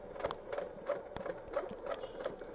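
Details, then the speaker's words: PS4 Slim bought used, at power-on: the disc drive makes quiet, steady clicking about three times a second over a faint hum and won't accept or read discs. "podem ver tá a fazer um um barulhinho sedor mas vemos que tá a abrir aqui"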